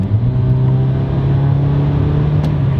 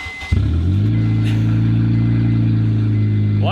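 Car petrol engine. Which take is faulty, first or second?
second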